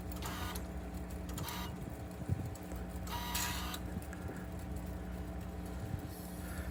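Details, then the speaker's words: 2020 Rock-Ola Vinyl Bubbler jukebox, mech out of cabinet, amplifier unplugged, stepped after mech index adjustment: steady motor hum with soft clicks and brief shuffles as the basket steps; indexes and stops cleanly. "So when that picks it up and puts it back, it's supposed to land it right in the center of this slot right here."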